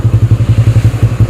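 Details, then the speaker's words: Yamaha Spark 135 carbureted motorcycle after upgrades, carb rebuilt with new needle and choke cable, kick-started (battery removed), Espada exhaust: steady even thumping idle with a deep note, not loud, no misses or rattles; normal idle. "ชุดแรกว่าเจ้าของก็จะให้เอาของR15ตัวนี้ใส่ตั้งแต่ฟังดูแล้วว่าเออเสียงไม่ดังมากมายตุ๊บๆนิดหน่อยครับ"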